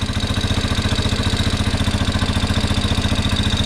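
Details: 1987 Yamaha Big Bear 350cc 4x4 fire-burned parts quad, uncleaned carb, no airbox with straight pod filter (owner suspects lean), on choke: steady even single-cylinder thump, no knocks or misses; motor sounds good, normal idle.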